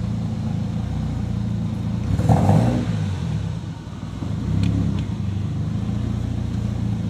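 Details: SR20DET with HDEV stage 3a, Nismo 555 injectors, Z32 AFM and AVCR boost controller: a rough, uneven idle, and a short rev falls straight back. It won't rev past about 2,500–3,000 rpm whether the MAF is plugged or unplugged; cause unknown.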